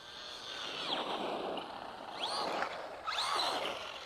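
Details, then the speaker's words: Traxxas Rustler 4x4 RC truck tested outdoors after replacing a stripped spur gear: quiet electric whir rising and falling cleanly with throttle bursts, no clicking or grinding; drivetrain normal, slipper clutch possibly overtightened. "I brought the truck outside to test it and if I did everything right, nothing will strip and nothing will burn up. It sounds normal."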